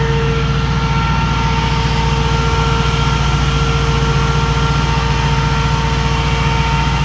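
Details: 2005 Jeep Grand Cherokee 5.7 HEMI V8 idling with AC on and the newly installed 16-inch SPAL electric fan running, replacing the hydraulic fan: even, steady idle with smooth fan whir, no knocks or stumbles; normal.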